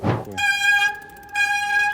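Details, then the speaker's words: Forward Apache 29 3.0 disc bicycle (2020) at 1147 km, X-Spark HD-M220 hydraulic front disc brake, 160 mm rotor: two sharp high-pitched squeals as the lever is squeezed, before bleeding, pad change and disc cleaning; oil found on pads. "на пробеге 1147 километров очень сильно начали скрипеть тормоза пожалуйста послушайте"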